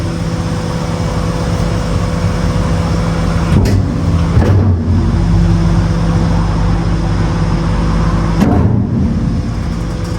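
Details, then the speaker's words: Mercedes Econic bin lorry with a Titan X4 body during an A service, packer on continuous cycle. Over a steady diesel rumble, heavy thumps come as the packer plate bounces, showing play somewhere; still to be investigated. "I don't even notice it not, but you can hear the packer plate bouncing, so there's some play somewhere in something, which I'm going to investigate in a minute and have a look."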